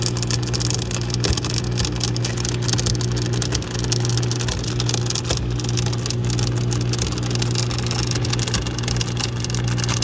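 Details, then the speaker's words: Dishwasher running: steady low motor hum with harsh continuous grinding, owner suspects something stuck in the motor, unconfirmed. "So this is what it's doing, making all this grinding noise. Looks like something is stuck in the motor or something."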